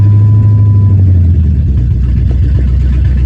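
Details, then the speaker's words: 1999 Lincoln Town Car V8, 3-inch lift, revived from storage, fuel tank patched, still has big vacuum leak and needs priming to start; steady low idle with even smooth beat, no misfire: normal idle. "It runs a lot a lot a lot better."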